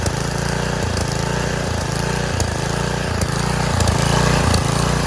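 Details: Roadside Garden Machines edger, 3.5 hp Briggs flathead, started on choke at full throttle, air filter cover missing: a steady, even putter with a gentle slow swell, with no misfires or knocks, a healthy idle.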